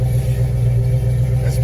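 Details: '68 Chevelle wagon LS V8 on new Holley Terminator X Max EFI, running and still in learning mode: deep steady rumble holding an even idle with no misses or stumbles; normal idle, healthy.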